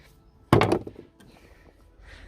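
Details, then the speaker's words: Old hand ratchet worked by hand: short burst of uneven, loose rattling clicks, like the pawl skipping; owner thinks the internal teeth have finally given in. "think all the teeth on the inside of it have uh finally given in"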